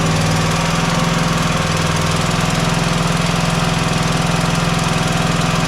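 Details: Single-cylinder mower engine running steadily: rhythmic airy whoosh on every firing pulse, about three a second, gas visibly blowing out at the head gasket. Blown head gasket.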